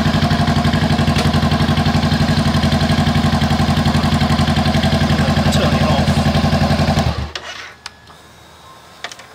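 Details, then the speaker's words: 2017 Honda CBR500R, stolen-recovered salvage bike. Started with the clutch pulled in and side stand up, it holds an even, steady idle with a regular beat about four per second and no misses or knocks, then shuts down cleanly. "when it turns over that's a good sign we do have it started so awesome"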